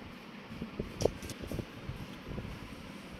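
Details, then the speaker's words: Dell OptiPlex 9020 desktop: one short beep at power-on, then the fan hum dies as it shuts off, repeating each time; dusty inside. "On होता है beep देता है साथ ही of हो जाता है यही प्रॉब्लम आ रही है इसको"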